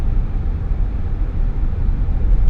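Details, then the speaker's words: 2014 Acura MDX cruising, cabin heavily sound-insulated with thicker glass; only a low steady engine hum, road noise and AC working, nothing rising or knocking; normal quiet cabin while cruising. "all you can hear right now is just a little bit of the engine hum and AC working. That's it."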